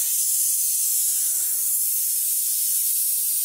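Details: Tire punctured by a big nail, during plug repair: steady, sharp, high hiss of air rushing out without letup as air escapes fast through the large hole, leaving the tire almost fully deflated; tire air leak.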